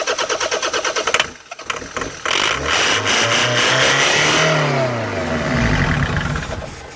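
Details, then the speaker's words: Land Rover Freelander 2.0 TD L-series diesel with no-start: steady cranking about three per second on starting fluid with throttle floored, then it catches and revs unevenly only on the spray; a leaking pipe was later found. "Right, Colin, I'm going to squirt this stuff in it. Put your foot to the floor and hold it to the floor. Right, crank it over."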